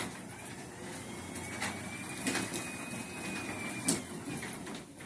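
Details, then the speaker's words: Garage door opener with trolley being re-engaged: quiet steady motor drone with one sharp click midway, then an even run without strain; normal operation. "Now, if you use remote or you press the wall button, it's gonna work. It's gonna close. You can see the door is moving."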